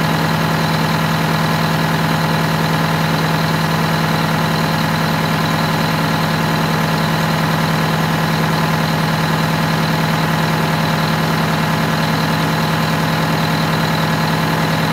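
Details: Detroit Diesel 8V92TA turbo diesel in a Wanderlodge bus, after new turbo, new injectors, air filter, correct oil, coolant flushed with water, at start-up before test drive: steady, even idle, regular beat near 200 a minute, no knocks or stumbles; normal idle.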